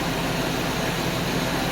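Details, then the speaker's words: 1991 Mercedes 190E after all 12 lifters were replaced: a smooth, even idle settling to normal operating idle with no lifter ticking. A faint sound is possibly an exhaust manifold gasket leak, unconfirmed. Normal idle. "and there is absolutely no lifter noise I kind of hear a little bit of the gasket noise from the exhaust monif Falls"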